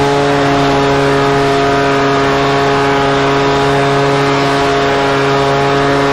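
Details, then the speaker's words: Husqvarna 125BV two-stroke leaf blower after new carburetor and filter fixed a blocked carb fuel passage, run at about 24°F with low and high speed mixtures richened slightly: steady even high-speed drone, no surging or misfiring; runs great. "And frankly, I need to put it away for the winter anyways. But it ran great."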